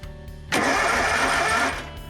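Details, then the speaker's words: Yazoo/Kees ZT Max 42" zero-turn mower with a Kawasaki engine, after cleaning the solenoid control wire connector: the starter kicks in hard and spins the engine briskly for about a second with no clicking or dragging. The starter circuit now works. "so I tried to clean off the end of my control wire that goes to the solenoid I used a little flat screwdriver stick in that connector and uh some pics and stuff and anyway now it seems to be working so"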